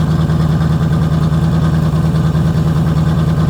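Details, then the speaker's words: Chevrolet Corvette V8 at idle after a full exhaust install and distributor timing: loud, lumpy idle with a regular stumble about twice a second, a clear misfire; an exhaust leak and clanking were also noted earlier. "Not terrible, but it's got a miss."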